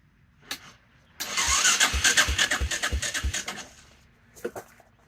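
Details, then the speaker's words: 1984 Honda Big Red 200ES ATV that ran when bought, now won't start after a month parked; owner suspects no fuel or timing: about three seconds of even starter chugging, roughly three compression beats a second, never fires; cranks but will not start. "Sounds like it's binding up. pressure release. Nothing. I don't understand. I know it's got to get some fuel running down there."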